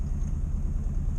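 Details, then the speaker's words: 1962 Morris Minor, started cold on choke after breaking down: lumpy, uneven idle with stumbling, skipped pulses, misfiring badly; owner suspects the ignition coil, and radio interference was noticed while driving. "well he fired up and as you can hear it's Miss faring like anything"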